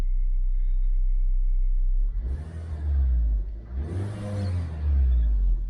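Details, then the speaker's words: 2008 Suzuki Swift EZ, manual 1.5, with an intermittent two-cylinder misfire and power loss, after replacing both coil packs and warming up 10–15 minutes without air filter: steady idle, then two quick blips that climb cleanly and settle without spluttering; very responsive. "it's idling very nicely at 2 46 7,000 RPM very [Music] responsive"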